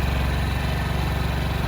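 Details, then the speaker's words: 2002 Honda Metropolitan scooter idling on fresh fuel after the fuel system and tank were cleaned: a steady, even low putter with a regular firing beat and no misses; normal idle. "i let that fuel pump prime up just before i started this video and uh primed up once it got primed up started right up"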